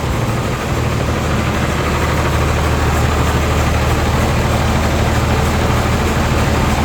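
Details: Old John Deere tractor with repainted hood, heard running from the outside: steady, even low diesel idle with regular chug, no knocks or misses; healthy and ready to work.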